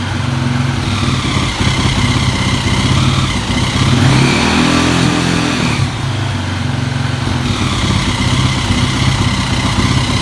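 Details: KTM EXC single-cylinder dirt bike idling roughly with a few throttle blips and an odd, uneven clatter on top. The owner asks what could be defective; the cause is unknown. Abnormal engine noise.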